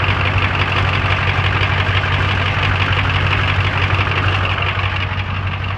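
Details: 7.3 IDI diesel at idle: loud clatter with an uneven, lumpy beat about three per second; rough idle caused by a leaking fuel return line.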